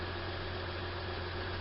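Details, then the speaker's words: 2004 Acura MDX after repair of misfire codes P0300–P0306 (swapping parts between cylinders), warmed up: smooth steady idle with even beat, no missed pulses; scan tool shows no misfires on any cylinder, fixed. "alright so we got it running it's been running a little bit and you can see there's no misfires on any of the cylinders"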